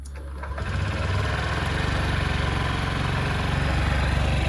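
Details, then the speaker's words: 2002 Honda Metropolitan scooter after its fuel system was cleaned, with the fuel pump primed first: the starter catches quickly and the engine settles into a steady, even putter with no misses; normal start and idle. "i let that fuel pump prime up just before i started this video and uh primed up once it got primed up started right up"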